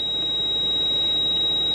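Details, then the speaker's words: Unrelenting high-pitched ABS warning buzzer in a quiet cabin of a 170-series Toyota Crown Majesta (1UZ-FE V8); codes show pump motor on abnormally long and low accumulator pressure; stuffed ABS pump. "it's an ABS pump it's the the mighty Crown we go off the road because we got a the stuffed ABS"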